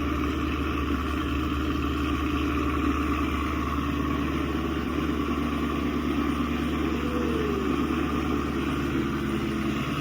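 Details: 2016 Chevy Camaro SS 6.2L V8, almost 50k miles, remote started after factory GM thermostat replacement: deep steady burble, even low rumble, no knocks or misses; smooth healthy idle, fan shuts off confirming thermostat works.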